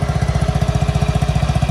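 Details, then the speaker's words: Honda BeAT Fi scooter idling right after a DIY oil change, with fresh oil and kicked 2-3 times before starting. A crisp, even putt-putt at about thirteen beats a second with no stumbles or rattles; quiet, earlier noise gone, no leaks. Normal idle. "Uy, tahimik na guys. Wala na yung ingay-ingay."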